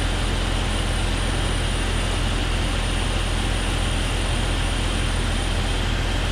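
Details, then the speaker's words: Vacuum leak on a 2001 Jeep Cherokee XJ 4.0L at idle: steady rushing hiss and thin whistle from a cracked vacuum part, silenced when covered with a thumb; water spray didn't help locate it. "I stuck my thumb right there and it made a it stopped the noise so you could hear it hissing maybe so that's definitely my issue right there"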